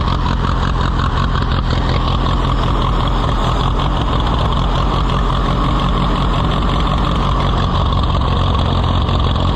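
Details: Allis-Chalmers WD tractor, possibly with a WD45 engine, first start attempt: loud but lumpy, surging beat that never settles to an even idle. Rough running; carburetor fuel delivery suspected.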